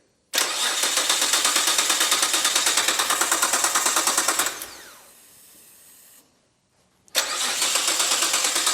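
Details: Nissan R32 GT-R after full restoration and engine rebuild: steady starter cranking, about three beats a second, for four seconds with no firing or catch. The fuel pump is not disabled and is no longer priming, so a crank angle sensor or ECU fault is suspected, not confirmed.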